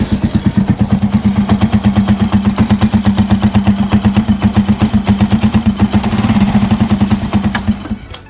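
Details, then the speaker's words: Rusi motorcycle at idle, exhaust pipe visibly moving: sharp regular puffing ticks about three a second with a hissy chuff, coming from the cylinder head rather than the pipe; owner suspects a burnt or loose exhaust gasket, before replacement. "So, kung maririnig nyo mga boss, talagang tunog singaw na siya. Hindi kasi na talagang baka sunog na yung exhaust gasket."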